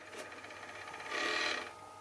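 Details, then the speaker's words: Dumpster-found Xbox 360 Slim with a blinking light: rough scraping and rasping from the disc drive with a louder grinding rise midway; owner suspects a faulty disc drive. "I think we have a faulty disk drive I think that's the problem cuz that's not supposed to be blinking obviously so since it's not working at least the disk tray is making a bunch of noises"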